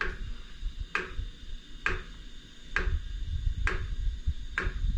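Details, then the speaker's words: iOptron GEM28 telescope mount slewing at speed 9: sharp clunk about every 0.9 s over a low drive rumble, only on one axis, minimal at slow speed; owner suspects backlash causing PHD2 guiding calibration failure. "if the speed is slow the noise is minimal but if i if i set the speed to like nine notice the noise that it makes it only does it on that axis"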